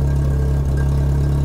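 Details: 2000 VW Golf Cabriolet, misfire from worn distributor cap pending replacement: steady deep idle with constant low drone and uneven puffing edge; exhaust leak where the catalytic converter was cut out and a non-VW pipe fitted.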